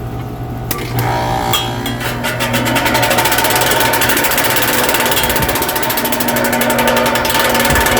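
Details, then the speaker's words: HVAC condenser fan after switching to head pressure control with a sleeve-bearing fan setting, on startup. A fast, regular ticking clatter builds in step with fan speed, caused by the blades hitting loose wires left after the zip ties were cut. "i don't know how those wires got in the mix ah because i cut the zip ties"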